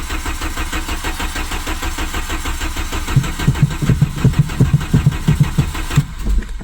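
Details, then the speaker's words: 1997 Volkswagen Vento 1.8 automatic with a vacuum line pulled off the back pipe: starter cranks steadily, pulsing about three times a second, engine nearly catches then dies; cranks, no start, fuel later confirmed reaching the engine. "It tries to start when I take when I stop."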